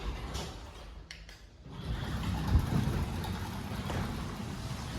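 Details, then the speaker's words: Linear LDCO801 belt-drive garage door opener on CHI 2327 flush panel door: soft low rumble as door travels, no grinding or clatter, super quiet; normal opener operation. "Super quiet operators, one of the best that you can get. Belt drive."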